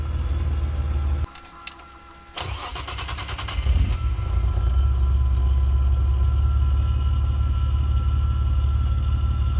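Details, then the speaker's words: 1971 Nissan Skyline Hakosuka GT-R tribute, straight-6 with ITBs, dyno-tuned, static fuel pressure, cold start: brief cranking, catches at once, smooth even idle around 900 RPM with no ticks or bangs; normal cold start and idle. "Just the cold start of the engine. Idle is nice, obviously you can hear no ticks, no bangs, no nothing like that. Nice smooth idle, even with the ITBs."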